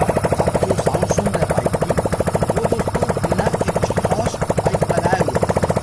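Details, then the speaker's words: 100cc motorcycle after full engine overhaul with new piston and cylinder, running without silencer: crisp, rapid, evenly spaced exhaust pops, steady and unbroken; starts easily with light kick, normal idle. "आप देख सकते हैं कि bike से कैसी आवाज आ रही है। अब इसमें साइलेंसर लगाते हैं। आप बिना साइलेंसर के इसकी आवाज़ सुन रहे हैं, यह इतनी मधुर है, दोस्तों।"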